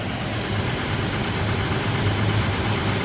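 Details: 2016–2023 third-generation Toyota Tacoma after an oil change with 0W-20 oil and about 6.2 quarts: smooth, even idle with a low steady hum and no ticking; quiet and healthy.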